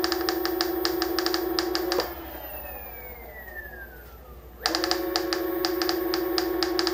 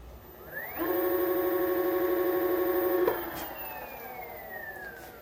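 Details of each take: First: Onewheel Plus hub motor: steady motor whine with a fast, regular ticking rattle about twice a second, dropping out when the motor pauses; it had alternated between rattle and squeak before the fix. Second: Onewheel Plus hub motor after fixing a rattle/squeak, tire spun with board off: clean, steady electric whine rising, holding, winding down smoothly, no grinding or clicking; noise fixed.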